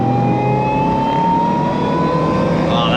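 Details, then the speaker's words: Suzuki Jimny, 1.5 litre petrol, with a newly installed Harrop supercharger on its first drive: a clean, steady whine over the engine, climbing in pitch under acceleration. Healthy supercharger whine. "And that whine, supercharger whine's just it puts a smile on everyone's face, even if it is only in a 1.5 litre."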